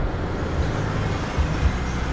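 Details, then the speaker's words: Isuzu MU-7 4JJ1 diesel after replacing both front accessory belts (including the A/C compressor belt), properly tensioned, idling with A/C on: steady low rumble, no chirp or squeal; belts running quiet. "ถ้าสายพานใหม่นะครับแล้วก็การตั้งเต็มที่พอดีสถานรถมาครั้งแรกก็จะไม่มีเสียงทุกตัวนะไม่มีเสียงยึดArtนะครับผมแม่ให้แอร์ทำงานก็จะเงียบนะครับ"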